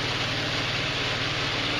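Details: GY6 150cc retro scooter (Verano 150 type) on its center stand, just after a valve adjustment: a quick, even single-cylinder putter at idle with no ticking, tapping or missed beats. Normal idle.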